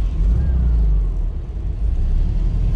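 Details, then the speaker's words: Classic air-cooled VW that had been sputtering, now running after a refuel with the AC on: a steady, even rumble with no misses, running normally with no problem at all. "normal, sungguh, sangat normal. Tidak ada masalah sama sekali. Bahkan dengan AC menyala, tidak ada masalah. Ini berjalan dengan sangat baik."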